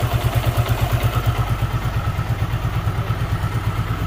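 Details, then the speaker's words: Super Splendor motorcycle: smooth regular single-cylinder idle thump, about three beats a second, no knock or rattle; normal idle. "इसके engine में सांड कोरबा के messenger सा उतना smooth और चिकना मक्खन कर दिया है कि कस्टमर गाड़ी को ले जा चुका है"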